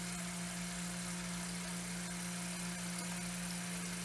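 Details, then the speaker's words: Faucet running in a two-story townhouse built around 2010 with newer plumbing, low water pressure for about 6 months: steady low drone humming near 180 Hz; flow-induced howl in supply piping, cause unclear. "I'm getting low pressure when the water comes out and you could actually hear you could actually hear it running and it's like squeezing it almost sounds like a howling sound"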